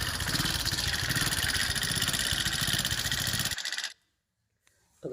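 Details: TVS XL 100 Heavy Duty single-cylinder moped running: a steady fast ticking rides over the engine beat, even and persistent; timing chain or tappet suspected until the head cover is opened; tappet noise from excessive valve clearance.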